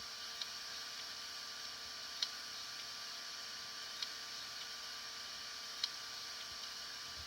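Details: Hitachi HDS5C1010CLA382 hard drive: faint sharp clicks over a quiet hiss, about one every two seconds, repeating steadily; possible head crash.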